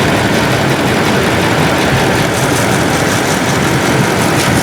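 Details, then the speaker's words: 2012 Lexus GX460 just started, secondary air injection pump commanded on via scan tool: loud, even rushing whoosh over the engine with no rattles or surges; air pump running normally. "The system will automatically tell us to start the engine. Okay, start the engine. All right, you will hear the oozing sound now."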